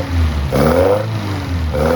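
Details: 1971 Toyota Celica RA20, 18RG four-cylinder on twin Weber 40 DCOE sidedraft carbs, electronic ignition, fresh ignition parts: two crisp throttle blips with a steady even idle between; runs sweet and healthy.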